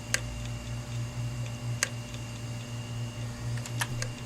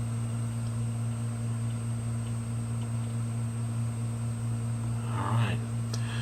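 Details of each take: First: Hard drive powered up on an imager right after about 18 hours in a freezer: sharp irregular clicks over a low, steady spin-up motor hum; failing heads clicking. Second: Hard drive previously frozen, powering up on an imager: a steady low spindle hum at full speed with a faint high whine and no clicking or grinding; the drive spun up and the heads loaded normally.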